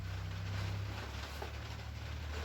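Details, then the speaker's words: Quiet, steady whirr as a boneyard Kohler Command engine, carburetor not yet rebuilt, spins on a starter swapped from another motor, with no binding and intake and exhaust valves heard working: it turns over freely. "and yeah it spins over so that's really good for us that makes everything much easier to do i can hear the exhaust and the intake valves working"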